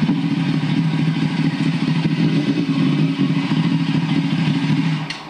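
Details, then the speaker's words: Custom track motorcycle with carbon fiber ports, ridden on the street for the first time: loud acceleration pass with an uneven, burbly exhaust note; rider calls it a little bubbly, possible misfire, cause unknown. "so what's the prognosis what how'd it feel okay sounded like it had a Miss in it no it's a little bubbly off the chicken"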